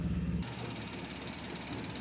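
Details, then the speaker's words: Maruti Suzuki Alto 800 after fixing misfire via ignition coil, no fault codes: steady, even engine run with a smooth low drone and no misses or stumbles; healthy idle. "गाड़ी हमारी बिल्कुल okay है अब इसके mileage भी ए जाएगी बिल्कुल okay pickup भी है इसमें अब"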